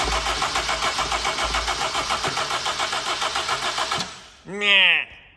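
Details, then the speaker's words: Mk1 Honda CR-V that may have been sitting, crank no start with no spark: starter cranks evenly for about four seconds after the calcified distributor was cleaned. Coil has power, so a burnt rotor arm and distributor cap are suspected and will be replaced. "so we're going to leave the starting issue for the moment it looks like it's the rotor arm distributed cap issue"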